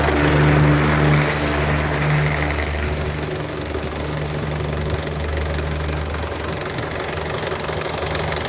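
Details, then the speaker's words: 2014 Isuzu D-Max 2.5 Z VGS cab pickup diesel, 70,000 km, first cold start of the day: settles from slightly raised idle to an even rhythm about four pulses a second, no smoke or vapour; smooth, normal healthy idle. "นี่ดูครับเสียงเครื่องนิ่มมากเดี๋ฟังเสียงเครื่องกันนะไม่มีควันไม่มีไอครับ"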